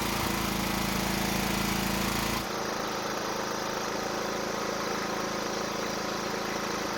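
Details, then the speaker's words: Toro walk-behind mower that wouldn't start, running briefly on residual fuel in the bowl: steady, even single-cylinder beat that still sounds good despite low compression; valve lash later found extremely tight. "At least we know it runs, and it still sounds good even for being low on compression."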